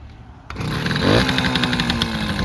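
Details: 1968 Suzuki Sportsman M15-2 50cc two-stroke, first cold start on choke, smoky exhaust likely from too much oil in the mix: catches on first try into a crisp, buzzy, evenly firing idle; healthy cold start.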